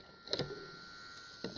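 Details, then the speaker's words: Old AN/PDR-20 radiation survey meter, power switched on: a couple of switching clicks, then a thin steady high buzz from the internal vibrator power supply; vibrator supply starting and running normally. "you plug it in and the vibrator on that it's a vibrating supply in here so yeah this gets better"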